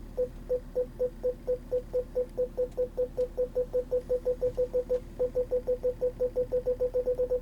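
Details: Volvo S80 with retrofitted factory rear Park Assist kit, dealer-activated, in reverse: steady train of short mid-pitch beeps about five a second with a brief gap; rear park assist working normally.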